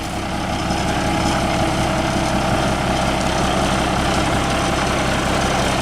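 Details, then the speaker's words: International truck with DT466 diesel, just bump-started by towing: steady even diesel clatter at idle, no misses, knocks or hunting; excellent running engine, owner considering moving it to another truck. "that is an excellent excellent running engine I don't know that you find won't run any better"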